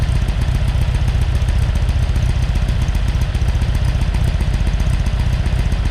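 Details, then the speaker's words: Porsche 912 flat-four just rebuilt (mild cam, head work, NOS Solex carbs), idle: smooth, even thrum with no knocks; runs well. Oil pressure is 60 psi cold and 38 psi hot at idle; distributor advance is sticking. "have actually run this and it's sounding really good oil pressure's good at 60 pounds of pressure when it's cold"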